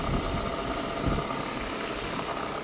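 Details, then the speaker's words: Wrecked Chevy Tahoe after security was tuned out, first start: steady, even idle hum with no misses, knocks or ticks; running smooth, alternator charging, transmission works. "running smooth there it is charging now transmission Works"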